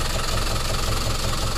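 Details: Lorry (box truck) diesel, knocking began suddenly while carrying a load: idle with a heavy steady knock, five or six a second, thudding through the rumble; cause not yet found, checked before any overhaul.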